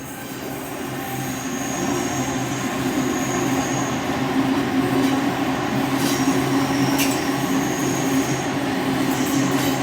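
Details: Trains on a tight curve between Waverton and Wollstonecraft stations, North Sydney: steady tonal wheel squeal over rolling rumble and rail-joint clicks; a reading of about 79.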